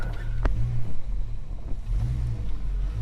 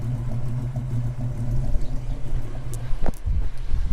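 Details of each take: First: Holden HK V8 at idle with a soft, deep woof that swells and fades every second or so; the cause of the pulsing is unclear. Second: Holden HK V8 at the tailpipe: deep, even burble for a few seconds, then handling clunks; exhaust sounds healthy and no water leaks, though the temperature gauge reads high, still unresolved.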